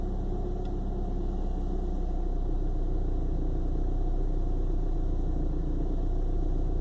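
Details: 1995 BMW 318i with new spark plugs: low, uneven idle with a loping, stumbling beat and no steady rhythm, sputtering like a misfire; hard starts come and go from day to day; cause unknown.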